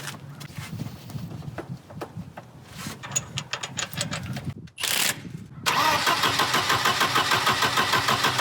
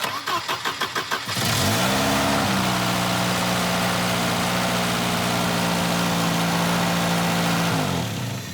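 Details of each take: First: Volvo 240 after timing belt replacement: starter spins engine steadily about three turns a second but it never fires; crank no start. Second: Volvo 240 after timing belt replacement, after bending in ignition module connector contacts: starter cranks in quick even beats, engine catches, flares briefly and settles into steady smooth idle; sounds healthy.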